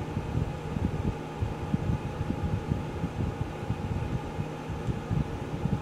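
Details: Geneva infrared quartz element space heater, after full warm-up with elements switched off by remote for cool-down: low steady fan hum with soft, slightly uneven whoosh, no scraping or rattle; cooling fan sounds normal.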